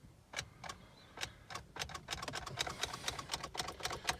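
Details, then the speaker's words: 2003-08 Toyota Matrix XR, first start attempt right after fuel pump replacement: only quick uneven light clicks, about four a second, engine never cranks; starter suspected to have failed. "I think my starter just went out. Wow. Just when I thought I was gonna fix one issue, another issue just happens."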